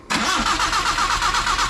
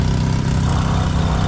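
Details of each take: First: Nissan vehicle that would not start, cranked during testing after repair work: starter turns the engine in a fast, even rhythm for about three seconds but it never catches; cranking without starting. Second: Nissan vehicle that would not start, now running after a fix with jumped battery connections: steady low rumble with an even beat, no knocks or misses; smooth normal idle.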